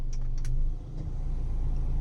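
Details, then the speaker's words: Mitsubishi cabin blower motor on speed 1 after replacement with a used unit: smooth steady hum, no chirping or scraping. The original was noisy from worn brushes and armature. "นะครับไม่มีเสียงสีดังชิๆๆๆๆๆๆๆปิดเงียบกิ๊บเอ่อเวลาขับมันจะได้สบายหูหน่อยหน่อยนี่เงียบกิ๊บ"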